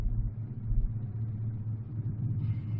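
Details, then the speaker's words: 1985 Chevrolet Silverado K20 4x4, carbureted engine idling about 650–700 rpm: low lumpy, loping exhaust rumble, engine shakes at idle but smooths above about 800 rpm; owner blames the carb, plans to replace it. "the carb runs perfect other than when I'm idling right here I mean it's just um it shakes kind of weird you can hear it in the exhaust Lo"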